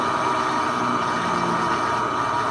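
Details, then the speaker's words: Electrolux 10 kg washing machine, run with the lid switch bypassed, making a loud noise during spin: a steady roar with a hard grinding edge through the whole spin. The transmission mechanism was already replaced and is fine; the problem is the motor bearing. "sempre se atente é um motor antes de trocar rolamento do mecanismo que é mais simples de rolamento do motor tá aqui o problema é o rolamento do motor"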